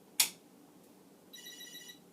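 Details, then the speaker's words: Commodore SuperPET SP9000 8-bit computer powered on for the first time since the 1980s: a quick click, then a short, high electronic chirp at switch-on. This is the normal power-on chirp, showing the machine is getting power. "is it getting power i don't know certainly the chirp is a good sign"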